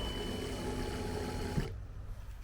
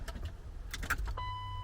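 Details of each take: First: Turbo BMW E36 running lean, fuel pump revived after touching a shorted fuel pump relay: steady even electric whir under two seconds then cutting off; normal fuel pump prime. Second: Turbo BMW E36 running lean, with the fuel pump hot-wired through a relay. Sharp relay clicks with a dash chime but no fuel pump hum follow; the relay was faulty, and touching it restored pump operation.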